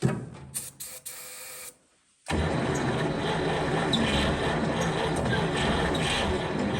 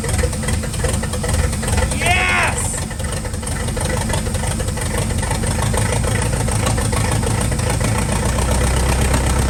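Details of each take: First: 1940 Cadillac 62 Series 346 flathead V8 barn find, first start in about 20 years at -4, no exhaust fitted. Slow cranking clicks, then it catches on ether and gas fed down the carburetor into a loud steady roar that sounds healthy. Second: 1940 Cadillac 346 flathead V8 barn find, first start in about 20 years on ether, no exhaust fitted: loud, steady, even low beat with no knocks or misses; runs healthy.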